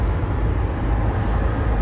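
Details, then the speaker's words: Budget OBS truck at highway speed after a new carpet install; a steady low cabin roar and rumble, about ten times quieter than before but still noisy, seemingly coming from the doors rather than the floor. Cabin road noise. "It's still noisy. Still 10 times better. But you can hear it coming from the doors, actually, and not the floor."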